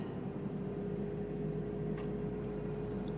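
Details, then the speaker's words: BMW i3 after new water pump fitted, at switch-on: steady even whir, constant mid-pitched tone and low hum as front cooling fan comes on, unwanted; drivetrain error seemingly no longer appears, owner suspects faulty EDME unit. "well unfortunately that fan at the front's just come on"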